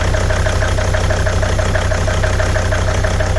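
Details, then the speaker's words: 2003 Volvo XC90 D5 diesel from a cold start: normal idle, then misfire after a small throttle blip, uneven chugging at about three lumpy pulses a second, running on four cylinders, heard at the exhaust. "If I take you around to the exhaust end, you can hear that misfire as well."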